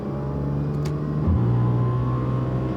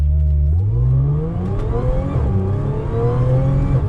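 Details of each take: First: Audi S4 with 3.0 supercharged engine and test pipes, before fix: harsh raspy drone climbing with revs in fourth gear at low RPM, loud and obnoxious; exhaust rasp later cured by fitting a Magnaflow resonated X-pipe. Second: Audi S4 3.0 supercharged with test pipes, after Magnaflow resonated X-pipe fix, light throttle through first to third gear: smooth rising supercharger whine dropping at each shift, no rasp or drone as before; normal exhaust note.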